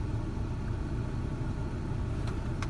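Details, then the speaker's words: Ford Ranger idling off the pedal near 1,800–2,000 rpm, 19% throttle, spark advance at 25; switching the HVAC load back on makes the truck instantly run much rougher, loping and stumbling. Owner wonders about idle control; occurs only under such load. "let's try the load HVAC is back on truck instantly runs a lot rougher"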